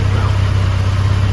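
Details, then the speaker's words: 1987 Dodge Ram 50 (Mitsubishi Mighty Max) after replacing a rusted muffler with a new muffler, extension pipe, welded joints and a clamp. A smooth, even, low idle burble with no rasp, ticking or leak puffing. Quiet, healthy exhaust. "See, that's how an exhaust is supposed to sound. It's not bad. It's not furious. It's just here to quietly do the work."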